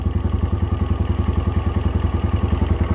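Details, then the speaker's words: Chinese budget dual-sport motorcycle, single cylinder, cold start on a new Champion Copper Plus plug with choke, valves a little loose; after warming, an even thump and steady low putter with no ticking or misses, a normal smooth idle. "it's real cold you can definitely hear my valves are a little bit looser it's not a bad thing yep enough to let it warm up and just like that we have a fairly smooth idle"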